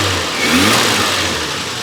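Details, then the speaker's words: Renault 25 V6 Turbo after ECU repair, smooth steady idle, no longer high idle as before and ECU not burning; normal idle. "this is a smooth idle and it's not a high idle like it was before and it's not burning I think I fixed it"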